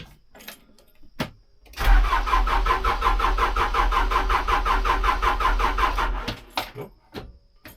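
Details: Case 580 L diesel backhoe that won't start despite repaired battery cables, cranked on the third try after the fuel line was primed by loosening the bleed screw (fuel came out). Steady slow starter churn for about four seconds, never fires. Crank, no start; cause not confirmed.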